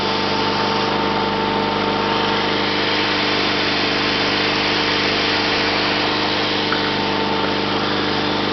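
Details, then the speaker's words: 1974 Sears Suburban SS/16 tractor, 16 hp opposed-twin Onan, out of gear at full throttle on temporary clean fuel supply: steady even drone, no misses; runs well, though it surges below about a third throttle. "so like I said it runs pretty good it's still it surges at anything less than about a third of Full Throttle"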